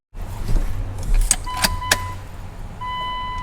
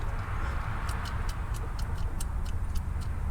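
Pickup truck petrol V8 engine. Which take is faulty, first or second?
second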